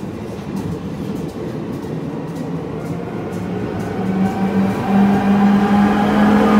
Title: Départ de VB2N et d’une BB27300 à la Gare des Clairières de Verneuil (bruit bizarre sur la BB27300)